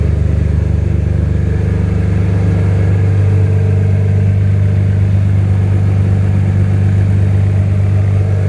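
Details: First start of a freshly swapped BMW M3 S54 straight-six, surge tank connection unfinished: a smooth, even low rumble with a steady beat and no misses or knocks; oil pressure good, alternator charging, no smoke. Normal idle.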